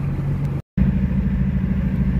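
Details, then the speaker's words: 2000-2001 Jeep Cherokee XJ 4.0L inline-six, after new spark plugs were fitted: uneven, sputtering idle, like missing a cylinder or two, with the check engine light on; misfire at idle. "it's like backfiring or misfiring or something check engine lights on you can hear it and feel it sputtering and it sounds like uh sounds like i'm missing a cylinder or two when it idles"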